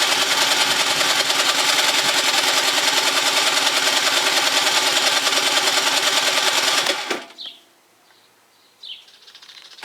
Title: scooter won't start after winter gilera dna 50